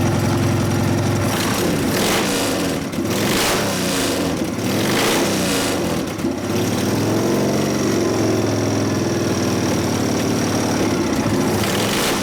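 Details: 1999 80ci Evo V-twin, after rejetting (low-speed jet 29.5, idle mixture about 2 turns): blips up cleanly and drops back without stumbling, crisp pops and flame from pipes, not too rich at full throttle; healthy throttle response.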